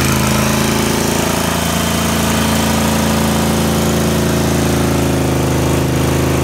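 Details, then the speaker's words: Car with a bad engine, heard during a burnout: loud rough drone with a fast steady thump at constant revs; engine knock, owner suspects oil starvation as the car leans to one side and oil runs away from the rear-corner pickup. "but that's probably reason it's knocking some bad cuz all the walls away from the dead gum oil pump it's in the back corner of the pan"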